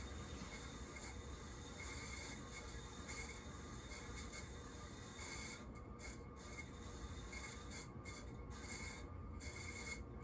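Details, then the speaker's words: Sears plastic Emerson Designer ceiling fan, bearings described as kind of bad: a steady dry rubbing and scraping rides over the fan hum without easing; owner unsure whether running it a while or oiling will quiet the bearings. "The bearings are kind of bad. I either need to run this for a while, or we'll see if it's gonna calm down, or I just need to oil them. But that's bad."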